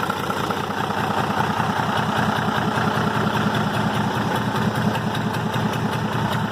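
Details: Restored Tata 1210 truck diesel, said to be a Benz engine, with cut injector cover to check nozzle leaks; steady even idle with smooth low rumble, no knocks or misses: normal idle after engine restoration.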